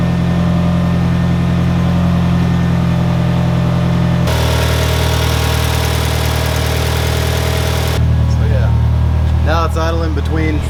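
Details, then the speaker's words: 1991 Eagle Talon idling after installing a new Deatschwerks fuel pump, from inside the car: smooth, even idle with a steady low hum and no pump whine, barely audible, where the old pump was very loud; no fuel leaks, normal idle. "i mean you can barely hear the faintest noise from it just to know it's running but it's not not loud at all"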